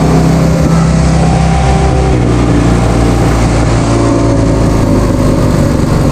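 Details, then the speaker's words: Vintage Hydra-Mac mini skid steer after cleaning the ignition points: it runs with a steady, fast, raised idle drone that never settles. The throttle is sticking. High idle. "Cleaned up the points on this thing and it pretty much fired right up. Stayed running. It was idling real high."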